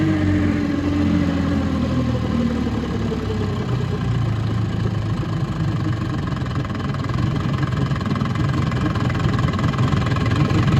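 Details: 1958 Gambles Hiawatha 10hp Scott Atwater antique outboard, restored, completely stock: steady beat with gear whine on top, pitch easing down as revs drop; gear case whine, which was louder before restoration.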